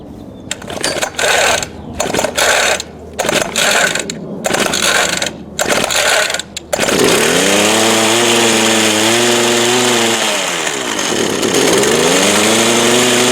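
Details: Craftsman 19-inch 25cc Bushwhacker gas hedge trimmer, choked, with faulty recoil, which previously ran briefly then wouldn't restart or bogged: two-stroke catches after choppy cranking, then pitch sags and recovers twice; bogging, fuel-starved carburetor suspected.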